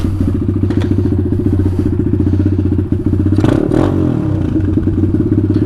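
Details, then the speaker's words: Taotao DB17 125 with new aftermarket carburetor and cleaned air filter, choke coming off: small four-stroke settles into a steady, quick, even idle sitting a touch high before being turned down; high idle speed. "seems like the idles a little bit high so let me take it down a little bit"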